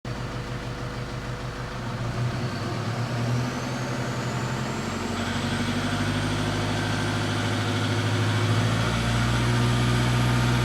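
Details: 2007 Toyota Fortuner 3.0 D4D 1KD-FTV diesel: hard fast rattling knock under acceleration from about 1400 rpm up, with a high whistle rising and falling; not injectors, which are brand new.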